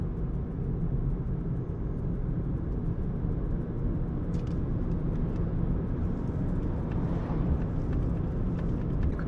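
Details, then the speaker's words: Renault Zoe second generation (air-cooled motor) on a test drive after repair of a motor-noise complaint: only road and tyre rumble, with no whine or bearing growl; normal electric drive. "Никаких постронних шумов не слышно."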